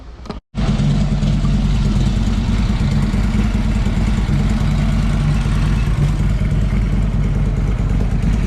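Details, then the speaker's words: Harley-Davidson Street Glide after fork and front fairing cover installation: deep loping V-twin beat at steady idle, even and strong, no knocks or rattles; sounds like a champ, normal idle. "it right up sounds like a champ sounds like a true champion"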